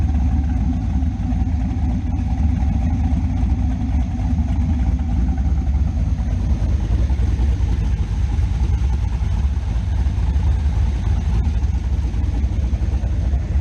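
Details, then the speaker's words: Camaro V8 after swap to Elgin 1840P cam (228/230, .585 lift, 112 LSA) with PAC 1218 springs, working well with the old torque converter: deep lopey rhythmic chug at idle, about three pulses a second; normal healthy cammed idle. "cece here is working great working fantastic um since we swapped out the cam the new converter"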